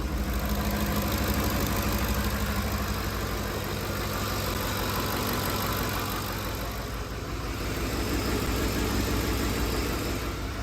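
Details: 2010 Ford F-150 5.4L 3-valve Triton after roller follower repair: even, steady V8 idle with a smooth low beat and no ticking or tapping, though an exhaust manifold leak remains on one side.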